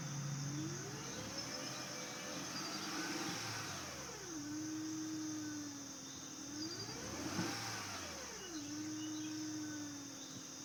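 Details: 2005 Acura RL, 166K miles, timing belt and water pump replaced at 101K: thin whine at idle rising with rpm to 2500, same with or without AC, unaffected by steering; owner suspects alternator, water pump or belt pulleys.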